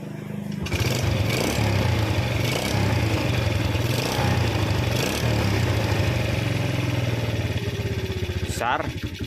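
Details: Yamaha Vega R New motorcycle: idle hunts up and down then engine dies; valve clearance closed up too tight by itself, attributed to carbon buildup from smoking engine, low oil and overheating, causing compression leak.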